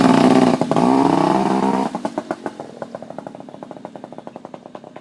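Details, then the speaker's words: Yamaha Chappy two-stroke after HPI install, possibly flooded: revs up then drops to uneven popping idle about four beats a second that stumbles; owner suspects too many grounds or kill switches, unconfirmed. "Doesn't sound right. What the hell?"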